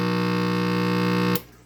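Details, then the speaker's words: Vintage FM/AM/phono vacuum-tube radio under repair, tubes glowing and warmed up: a loud, steady low-pitched buzzing hum until switched off, yet the speaker barely moves; a hum fault whose cause is not yet found. "All the tubes are warming up. That's a good sign. I just have horrible hum, and that's the first guy I'm going after right there."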